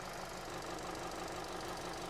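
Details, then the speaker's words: 2017 Hyundai Sonata petrol with stored P0304 misfire code, idling with an uneven stumbling beat that worsens under load; ignition scope shows poor cylinder 4 pattern, almost sure spark plugs will fix it. "if i start this up we do have a misfire right now and it definitely increases under load"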